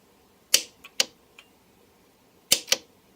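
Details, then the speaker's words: Starter relay clicking crisply in pairs while troubleshooting a motorcycle where pressing the starter button does nothing at the starter motor; multimeter wired into the battery-to-starter circuit shows the relay works normally, so the relay is not the problem. "okay so that this proves that the starter motors sorry that the relay is not the problem because the relay clearly is working which you can see here"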